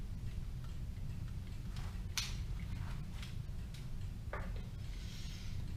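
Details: Kienzle Vienna regulator clock movement, freshly rebuilt and wound, running on a test stand outside its case: light, even ticking over a low room hum, no hesitation or stumbling in the beat; movement healthy.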